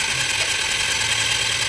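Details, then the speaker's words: Italika TRN150 12 V scooter cranking: starter spins fast and even with no compression strokes; first thought to be lost compression, but the timing chain isn't turning the camshaft, so it won't start. "yo sinceramente pensaba que era la compresión porque se oye iguali Tito que una moto cuando ya no tiene compresión pero miren vemos que no"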